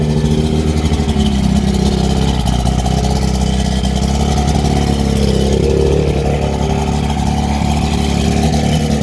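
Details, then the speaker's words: Chrysler outboard, 4-cylinder, being rebuilt, first run in possibly 23 years on water ears, impeller working: steady idle with slightly uneven, loping beat; owner suspects not all 4 cylinders firing, unconfirmed rough idle. "Is that sounding okay for I don't know if it's in 23 years. Is that all 4 cylinders, do you think? Probably missing there, eh, maybe?"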